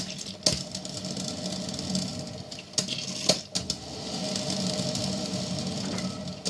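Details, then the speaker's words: Hamilton Beach 12-cup stainless steel electric percolator, model 40614R: soft irregular gurgling with occasional sharp pops and bubbling surges over a steady hiss, normal perking that lasts about 8 minutes before it shuts off and keeps warm. "This will go on for about 8 minutes. And then it's done, it shuts off."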